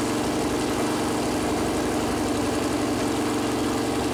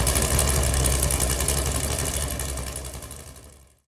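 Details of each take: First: Freshly built Chevy big-block 454 V8 on an engine run-in stand, first start attempt: runs briefly with a lumpy, fast patter, then pitch sags and it dies; fuel pump had been left off after filling with water, starving it. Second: Freshly built Chevy Performance 454 big-block V8, first start on an engine run-in stand, good oil pressure: steady, even low rumble with no knocks or misses before shutdown; normal idle.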